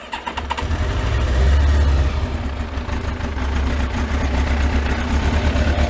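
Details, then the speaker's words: Kawasaki ZX12R first start in 12 months, freezing cold, on choke with a low battery: catches at once and settles into a deep, steady four-cylinder burble; revs left to build to about 4,000. Clean, healthy cold start. "and what I tend to do is you leave the revs gradually build up I leave it until it goes on full chat about 4,000 revs"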